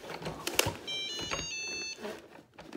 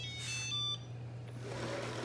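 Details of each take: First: Shark ION robot vacuum demo: short run of bright electronic tones, then a quick chirp a few seconds later as it docks with contacts aligned and starts charging; normal. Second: Shark Ion robot vacuum (725/750/850/1000 series) sent to dock: short pair of high electronic chirps, error alert that it cannot find home because the charging base has no power.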